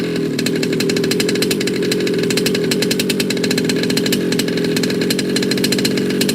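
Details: Baja 5T gas 1/5-scale RC two-stroke after major repair, first start: steady, fast, even crackle with no stumbling or surging throughout; idling cleanly.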